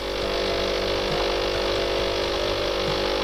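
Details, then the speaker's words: De'Longhi coffee machine after brew unit and grinder repair, test brew with pre-infusion then main brewing: loud, even buzzing pump drone holds steady with no stutter or rattle; pump working normally. "и сейчас пойдет в кофе предварительное смачивание и основное приготовлением"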